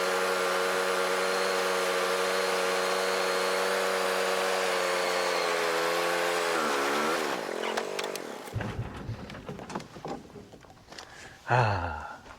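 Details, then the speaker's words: John Deere Gator running poorly, started in cool weather: steady buzzy idle, then revs sag, stumble and cough instead of picking up when throttle is applied; the engine falls on its face, bogging under throttle. "I don't know if you can hear that, but it really when you go to give her the onions, she really falls on her face."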